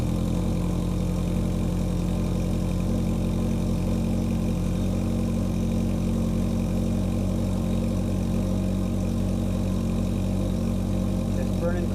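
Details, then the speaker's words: 1981 Yamaha XS1100 Midnight Special four-cylinder started cold on full choke with a weak battery: steady, even idle, smooth low hum, no misses or knocks, no smoke yet; owner's concern is heavy smoke; normal cold idle. "let's try and start it full choke it's cold out and the battery is pretty weak but i think it should start key on there we go and not smoking yet"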